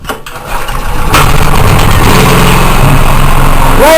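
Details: Small single-cylinder generator after reassembly, long stored in a humid container: engine catches on choke, stumbles briefly, then settles into a steady, even run; the generator runs normally.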